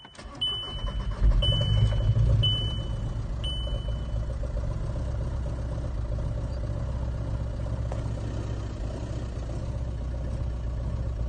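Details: 2005 VW Golf Mk5 1.9 TDI (BKC) diesel, hard to start cold after sitting over 3–4 hours despite new glow plugs, battery and fuel filter; on this start the starter cranks briefly and it catches cleanly into a steady low idle with even clatter.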